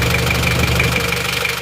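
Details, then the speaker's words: Isuzu Panther Miyabi diesel after overhaul (original rings, bearings, seals replaced), injection pump timing retarded slightly: even, steady idle with a light regular clatter, no misses, smoother and crisper, no smoke from the oil filler cap; normal diesel idle. "setelah timing diperbarui dimundurkan sedikit suaranya lebih rata lebih renyah lebih halus asap ditutup isian Uli juga tetap bagus enggak ngasap"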